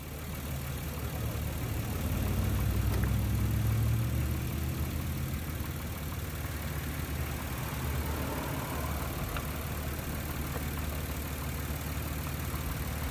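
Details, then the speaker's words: 1994-1999 Nissan Maxima after replacing the failed ignition coil pack: low, steady idle with an even beat and no stumble or skipped firing, misfire solved. "Hear that? I mean, you probably hear more things, but our problem has been solved."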